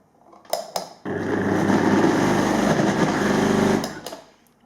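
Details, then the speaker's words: Philips vacuum cleaner hums loudly with a rough, throbbing rattle over the motor roar, shaking so hard the lights flicker; on teardown the motor bearings had failed, with some balls already out of their race. "в общем причина у него такая общем все дрожит аж свет моргает"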